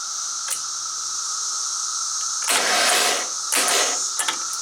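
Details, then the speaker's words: Woods 6180 zero-turn mower, 18 hp Briggs & Stratton Vanguard, throttle on slow, battery on charger: two short whirring bursts with no engine turnover; the starter spins but does not engage. Owner suspects a weak battery and was told the starter is going bad. "Don't think my battery's got enough juice to crank her over. She's spinning the starter, but the starter's not engaging."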